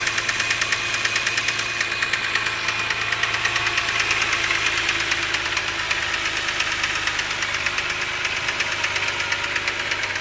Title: 2007 BMW 328i with rod knock